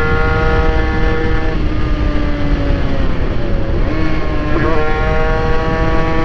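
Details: Honda NSR80 two-stroke after head gasket replacement, main jet 140; failing water pump mechanical seal still drips coolant while riding: crisp steady buzz dipping and picking back up with throttle; runs clean and healthy.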